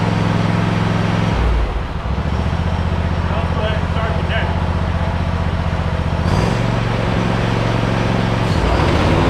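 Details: Hustler Raptor SD 54-inch zero-turn mower, Kohler 7000-series 25 hp engine at 100 hours, cold start after sitting a couple of days: catches quickly and settles into a steady, even low-rumbling idle with no misses.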